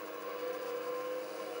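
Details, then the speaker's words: Old IBM PC hard drive spin-up after oiling the main bearing: steady whine under a rough, hissy scrape that sounds like the heads scraping; drive judged dead. Scraping noise on spin-up. "and i'm hearing something but it does sound like it's scraping the heads which is not a good sound uh let's see whether it initializes or not yeah that's definitely not sounding like a good sound there sounds like something scraping"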